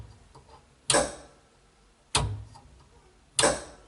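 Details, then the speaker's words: Homemade mini semi, key on with the drive switch engaged: sharp clicks roughly every second and a quarter as the clutch engages and releases, clean and evenly spaced; normal clutch cycling, which the brake pedal button disables. "That's clicking off and on the clutch to make it go."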